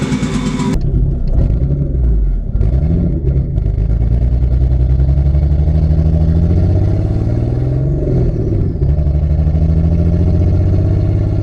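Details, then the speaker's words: Barra-swapped Mustang drift car idling really rough with stumbles and hunting revs; AFRs pegged completely lean over 17, cylinder one reading 40%; misfire traced to a faulty injector. "all I know is it fires up running really really rough as you can hear uh the afrs are pegged completely lean so we are over 17"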